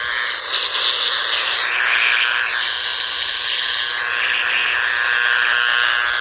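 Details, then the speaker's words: Power-line noise on an ICOM R30 receiver: harsh, raspy buzz with a wavering high pitch that comes and goes; owner suspects a grounding fault or lightning arrester, and checking the ground briefly stopped it. "I think it's a grounding issue. It's either a grounding issue. It comes and goes."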